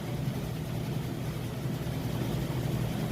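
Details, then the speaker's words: Maytag oversized-capacity top-load washer with a heavy load on the regular cycle, final spin at full speed: low even hum, no knocking, scraping or wobble; smooth, quiet, normal spin. "okay we're now up to full speed on that spin cycle you can see it's got nice smooth operation sounds great very quiet"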